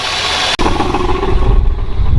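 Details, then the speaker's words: Mopar V8 that sat in the desert for 20 years, first start with fresh battery: after a brief dropout settles into a deep, steady rumble, idling evenly without misses or knocks; runs good. "This thing runs good."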